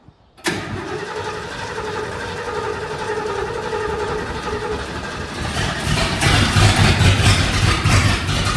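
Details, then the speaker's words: 1966 Lincoln Continental, first run after 2+ years: catches into a loud, raw, throbbing idle that swells as it revs. No muffler at all. "it's very very loud it has zero Muffler what exhaust we do have is currently being ground up against the asphal"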